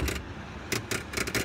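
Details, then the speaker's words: HVAC blower running after a blown fuse, 1.6 amps; steady hum with irregular loose metallic rattling bursts in the blower compartment; an unconnected wire was found, tip not chewed, cause of the rattle uncertain. "that sounds twice so this wire I didn't notice it earlier but this wire is not connected to anything and the tip of it is not chewed up where that would have been bounced into the blower cavity or blower wheel but I'm not [Music] sure why I would get that awful noise"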